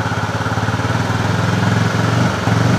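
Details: Honda CB fuel-injected motorcycle with erratic running when throttle is opened, unresolved after five services: revs raised, engine pulses unevenly and wavers in pitch while the throttle reading on the scanner stays at zero; faulty throttle sensor signal suspected.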